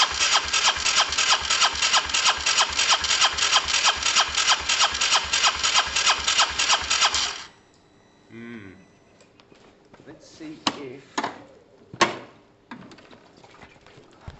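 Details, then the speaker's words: Honda SH125 after a new relay: engine chatters evenly about seven seconds then cuts out and won't catch again; hard starting, unsure whether it's getting fuel, brake cleaner to be tried. "don't know i mean it should start every time shouldn't it"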